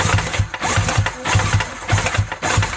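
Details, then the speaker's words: Yamaha WaveRunner XL800 two-stroke engine being turned over on the starter: heavy, evenly spaced thumps about four a second, a loose knock low in the engine; owner suspects a sloppy connecting rod in the back cylinder, not confirmed. "do hear something knocking a little bit huh well could be worse i guess we'll see i'll be able to see the connecting rod and see if it's loose it sure sounds like something's a little sloppy in that back cylinder"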